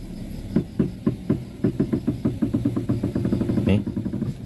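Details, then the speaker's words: Front wheel of car (Avanza/Xenia-type) with steering worked back and forth: hollow tek-tek clunks coming quicker with steering, no play felt at the wheel yet; worn inner tie rod suspected. "itu bunyinya ya, Teman-teman. Bunyinya tek tek [tertawa] tek tek."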